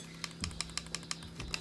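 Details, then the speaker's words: Logitech G402 mouse after replacing the middle scroll-wheel button with an OMRON BF3-1000 tactile switch: light, crisp, clean clicks, about eight in under two seconds, needing far less pressure than the old, too-hard switch. "that's way smoother compared to this thing yeah this is way easier this other one's too hard"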